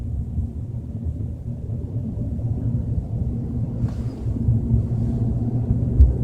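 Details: BMW 320i at 30–40 km/h: deep steady drone under road noise, no knock or whine on top; cause not yet found.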